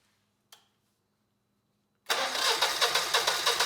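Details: Generac GP17500 17,500 W portable generator (model 0057351), bought non-running, with the choke on and a load plugged in: steady cranking at about three beats a second with no firing at all. Owner suspects a badly clogged carb.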